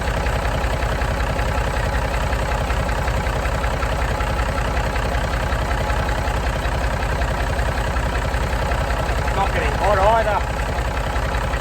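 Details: Massey Ferguson 135 diesel tractor started to check dynamo voltage with a multimeter before working on the regulator box: steady, even idle chug with a low hum and no knocks, squeals or scraping; sounds healthy.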